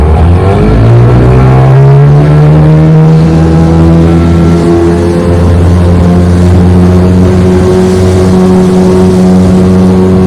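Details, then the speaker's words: Restored 1996 Johnson 15 HP outboard, model J15RED0, after a part that made it overheat was replaced; it clocked 20–21 mph on an earlier run, but it cannot be opened up here. Smooth drone climbs as the boat gets going, then holds steady. Normal running. "It was clocking 20, 21 miles an hour before on the earlier run, so I'm sure it's still doing that."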